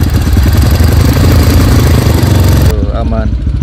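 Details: Honda CRF bore-up with BRT parts, freshly washed, 200 ml oil additive added, camera mounted low: low, even single-cylinder thumping at steady idle with no hum or whine on top, sounds healthy; the owner's complaint is a rough sound when releasing the clutch.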